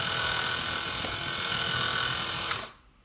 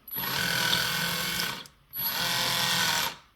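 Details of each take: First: Kabolite K961 excavator track motor whirs evenly with a soft steady buzz and no squeal, then stops; normal running, while the other track squealed very loudly before the fix. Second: Kabolite K961 excavator left track squeals loudly when turning, in two high buzzing bursts with a thin whistle, from excessive track tension loading the track drive motor; before the fix, right track quiet.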